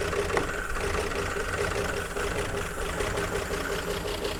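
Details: 1951 Chevrolet Fleetline after correcting plug-lead firing order, makeshift carburetor held at cracked throttle with a cable tie, only controlling air: engine barely ticking over, uneven lumpy beat, not firing cleanly on all cylinders; rough running, nearly on six.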